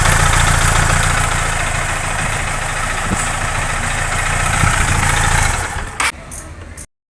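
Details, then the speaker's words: Honda Titan 160 (CG150-type) motorcycle engine: busy idle with dry regular ticking, roughly three to four beats a second, before shutdown; oil did not reach the head, wearing camshaft and gear teeth from lack of lubrication. "Que ocasionou o desgaste do comando, o óleo não subiu, tá? Além do desgaste de comando, teve um desgaste de engrenagens, tá? Entre dentes de engrenagem teve desgaste devido à falta de lubrificação."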